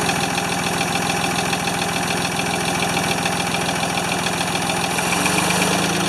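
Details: Free Ford 2600 tractor on first start attempts, smoking as it burns oil off, with plug wires popping off. A rough, wandering idle of about three lumpy pulses a second. The owner says fuel delivery is not feeding enough fuel.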